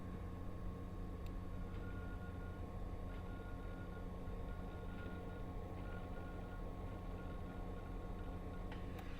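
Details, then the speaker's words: Hard drive being read back to verify a pseudo-random overwrite erase while scrolling through the data. Faint, irregular sharp ticks about every second over a low steady hum: the heads seeking normally. "And if you listen closely, when I scroll up and down, you can hear the drive head ticking"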